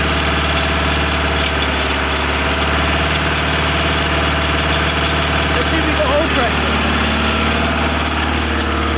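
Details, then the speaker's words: 1987 BMW 518i Lux E28 project car, first start after borrowing a distributor cap and refitting spark plugs and airflow meter: fast, even idle around 2,000 RPM with no misses, no oil pressure showing yet; owner suspects an oil leak from the engine bottom. "we don't seem to have oil pressure yet it's idling at 2,000 RPM"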